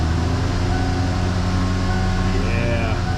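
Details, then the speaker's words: 1986 Grand Marquis that had been sitting, starting on old gas: it runs with a rough low rumble and a faint whine on top, suspected to be the air pump, while struggling to learn its idle again. "oh man I remember that sound I think that's the air pump onto the hood she's a little unhappy with the old gas"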